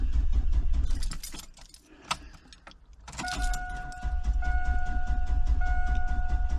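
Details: 2001 Ford Expedition XLT V8 crank-no-start: keys rattle, then the starter churns steadily under a door chime and the engine turns over without firing; owner suspects the fuel pump.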